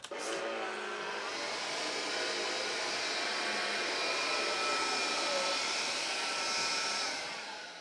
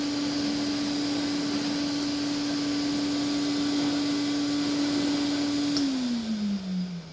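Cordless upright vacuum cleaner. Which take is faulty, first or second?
first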